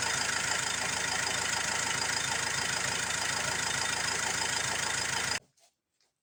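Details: Ford Transit Mk7 2.2 TDCi with a slightly uneven diesel clatter, then it suddenly cuts out and stalls right after starting, with no check engine light. Fuel parts, air sensors, crank sensor, filter and EGR valve have been replaced; the cause is still unknown.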